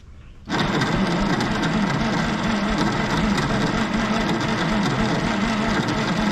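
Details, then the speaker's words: 1960s Galion grader "Christine" being restored, cranked with the key bypassed through a solenoid. Sluggish, uneven churning at about four beats a second that never catches; the weak starter cranks slowly. Starter likely needs rebuilding; ether didn't help, spark issue suspected. "i think that starter is going to wind up getting rebuilt"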